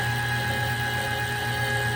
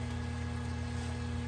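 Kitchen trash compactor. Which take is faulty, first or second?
second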